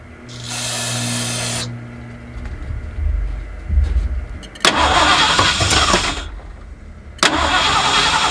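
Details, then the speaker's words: 1979 Ford F150 with modified 351 V8, long abandoned, first start attempts after a shot of brake clean: cranks and catches briefly, runs rough and smoky for a few seconds, then dies; accelerator pump not moving, owner suspects clogged carburetor or fuel pump causing fuel starvation. "Starting to think we've got some issues with this carburetor or the fuel pump, one or the other. Accelerator pump isn't moving at all."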